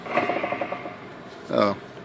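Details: 1998 Yamaha Grizzly 600 primary clutch pulley spun by hand: fast dry ticking rattle about ten clicks a second; owner suspects the bearings behind it or deeper in the case, not confirmed.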